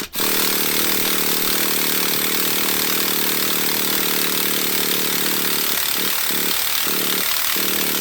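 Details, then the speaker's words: Heavily abused Traxxas Jato nitro RC engine after restoration, fuel tank pressurized and glow igniter fitted: a steady high buzzing spin for several seconds with no pops or catching, so it turns over but won't fire; owner suspects too little fuel in the carburetor. "first attempt didn't go so well we didn't hear any type of combustion there on the engine we're going to go ahead and try it again"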